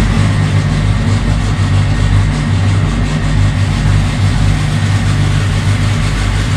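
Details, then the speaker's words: Freshly assembled ~500 hp 2.3 turbo four-cylinder, running after a heat cycle on a mix of 87 and Q16 fuel, good oil pressure: deep, even idle rumble with no ticking, knocking or hunting; normal idle, only a coolant fitting leak noted. "it's got oil pressure still it runs pretty smooth"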